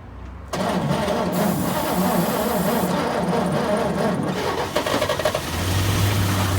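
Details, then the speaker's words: 1941 Chevy pickup after 40 years in a junkyard, stuck piston freed with transmission fluid, battery dying: slow uneven cranking with weak sputters that never catch; carburetor judged too gummed up to pass enough fuel, to be rebuilt. "so after a few more tries we just decided that the carburetor was too gummed up to the letting enough fuel in it for it really to run"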